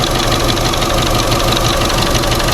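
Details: Chevrolet Sonic, P0300 and reduced-power warning: shaky, uneven idle with a steady rushing air-intake noise; damaged sensor doubted as the cause; misfire traced to water in the plug well after engine wash.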